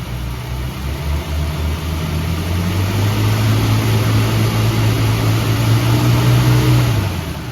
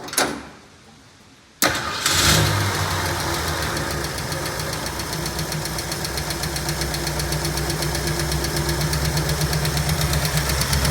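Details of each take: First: 1965 Ford Mustang V8, revived after sitting 33 years with a locked-up engine, idles low and rumbly then revs to a smooth steady drone; the earlier lifter tick is gone, though it still needs an oil change. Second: 1965 Ford Mustang V8, after sitting 33 years with a locked-up engine, running on water in the radiator: cranks, catches and settles into a rough idle with a light, quick lifter tick from the top end.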